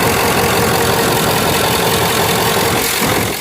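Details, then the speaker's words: Ford F-250 HD Power Stroke diesel just after the broken idler pulley was replaced and the belt refitted. Steady, even idle clatter with no squeal, chirp or knock from the belt side; no weird noises, running normally. "Now seems like it's going to spin. All right. I don't hear any weird noises at all."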